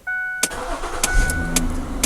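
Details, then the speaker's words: Ford Taurus started right after an oil change (filter, drain plug, five quarts). Quick catch on the starter, then an even idle with no knock or rattle; oil light off immediately. Normal start and idle. "oil light is off immediately everything looks good"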